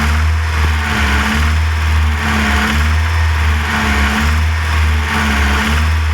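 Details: VW Golf 1 GTI engine: revs blip up and drop back roughly once a second over a steady low drone; an odd engine noise rides along, source not pinned down.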